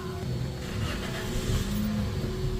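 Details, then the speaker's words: Toyota Vios after replacing a poor spark plug that caused a cylinder 3 misfire and clearing the code: it starts quickly and settles into a steady, even idle with no shaking. It runs smoothly. "Ayan ang ganda ng start mga idol walang ang K nginig nginig"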